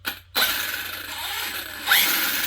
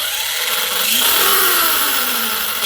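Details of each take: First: Arrma Kraton 6S EXB 1/8 RC truggy, new, wheels spinning free on stand; high-pitched grinding whine sharpening with speed; found pinion meshed too tight and diffs low on fluid: gear whine. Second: Arrma Kraton 6S EXB RC monster truck after refilling low diff fluid, especially centre diff: motor pitch climbs and falls cleanly at low RPM, no grinding or gear whine; drivetrain runs smooth.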